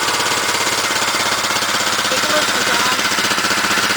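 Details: Fully restored 1971 Honda CL350 K3 twin, started after restoration with fuel and key on: brisk, even patter of about four beats a second, steady with no knocks or misses; clean normal idle.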